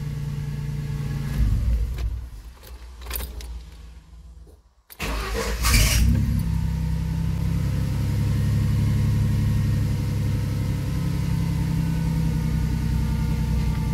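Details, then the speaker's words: 1997 Ford Mustang with intermittent starting, just after a starter replacement: brief crank, then a steady low idle with an odd droning hum over it, source unclear, owner unsure whether it is normal; abnormal noise after start. "a weird noise, isn't it? I don't know if it's just the way that sound, just the way it is or not."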